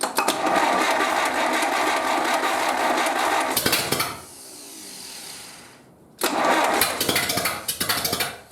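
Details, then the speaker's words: 1931 British Dodge Brothers UF-10 panel van engine, first start after restoration with no exhaust silencer and timing set by eye: very loud, ragged, uneven running that briefly dies then catches; rough running, timing probably not right. "Well, let's try that again. Whoa. Probably not quite right though."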